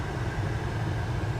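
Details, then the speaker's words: VW cabin blower motor after replacement, key on: a low, steady hum with no squeak or chirp. The blower runs normally, confirming the suspected blower motor fault. "well no squeaking hooray it was what I thought huzzah"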